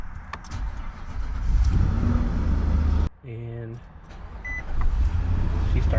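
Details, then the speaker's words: Infiniti QX80 after installing a new Duralast Gold 27-DLG battery reading 12.64 V: short, brisk crank under a second, then the engine catches cleanly and settles into a steady idle; normal quick start. "started way better."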